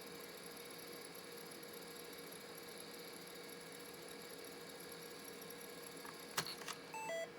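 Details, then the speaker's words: Old laptop hard drive on an EZ-Gig adapter, not being recognized by Windows: steady high-pitched whine with a couple of sharp chirps near the end; drive sounds like it is dying, cause unknown. "Got one more trick up my sleeve before I give up on this drive that sounds like a dying pig."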